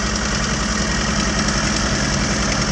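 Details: 1981 Toyota Tercel, carbureted petrol, just jump-started from a dead battery: steady, even idle with a smooth low hum and no knocks or misses; running fine.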